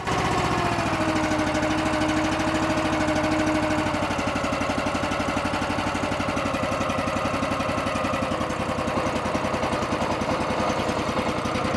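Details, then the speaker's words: Honda engine on an Eastonmade 9-16 log splitter after an idle adjustment to fix surging: slow, steady putt-putt at a low idle with the choke fully off and no hunting or surging. Before the fix it needed choke to idle this slow. "Before I couldn't let it get down even close to this low in the idle, and the choke is all the way off. And before I was having to choke it in order to get it to idle that slow."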